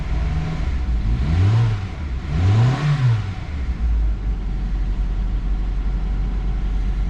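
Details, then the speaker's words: Copart Honda CR-V, first start on jump box after repairing bent valves again: cranks and catches unevenly, stumbles, two quick revs, then steady low rumble; rough start, cause unknown. "there we go it's kind of a rough start who knows"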